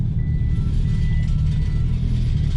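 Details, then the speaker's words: Hino Dutro turbo diesel flatbed car carrier reversing: clear alternating high and low electronic beeps from the tail-light backup siren over a low diesel rumble; the reversing alarm is working normally. "oh yeah it's got a it's got a backup like siren on the uh on the tail light can you hear it like there's two beeps"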